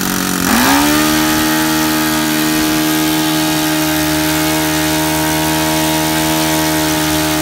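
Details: Saito FA-62 four-stroke glow engine in a Hangar 9 Piper J3 Cub, owner troubleshooting in-flight stalling at about half tank: sharp pitch rise on throttle blip, then steady even high-rpm buzz with no stumble; clean response.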